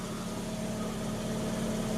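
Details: Mazda RX-8 rotary, first start after engine rebuild and reinstall; smooth, even hum with a steady low tone and no knocks or misses; idling cleanly with no check engine light.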